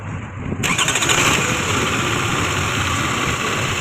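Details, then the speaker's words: Toyota Camry that started for 2 seconds then died, codes P0351–P0354; with number 3 ignition coil connector unplugged it cranks briefly, catches and settles into steady idle. Shorted ignition coil cutting ECU current; wiring and ECU fine. "यही कोयल का मसला है, ये इस कोयल की वजह से हमारा सब प्रॉब्लम आ रहा है, ठीक है।"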